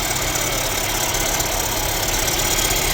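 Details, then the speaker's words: Mercedes-Benz CLA W117 losing coolant with a TopUp Coolant warning: at idle a loud, harsh whirring bearing rumble from the front of the engine, suspected to be the water pump, which is dripping coolant. "เดี๋วออกมาตเหมือนปั๊มน้ำเลยครับดังอยู่ตรงเดังน่ากลัวมากเนี่ยดังหน้าเครื่องเสียงหอลูกปืนเลย"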